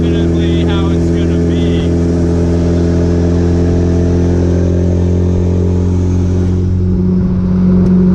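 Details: B3000 with completed Cummins turbo diesel swap, driving: deep, loud diesel drone holding steady pitch, no knock or miss; running good, feels smoother and more powerful.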